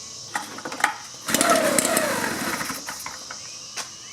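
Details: 2-cycle blower pulled on choke with the dirty air filter removed: quick whirring, rattling cord pulls that never catch or fire; hard-start history, ran about half an hour then quit; no spark suspected, ignition coil suspected.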